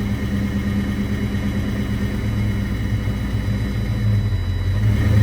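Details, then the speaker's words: Foxbody Mustang project car after adding water and fixing its fuel problem, put into gear to test the transmission: steady low engine drone swelling slightly as it takes up drive and rolls; clean engagement, no clunks or grinding. "you want you going to do it again it's going to try and move and see if the transmission is good or"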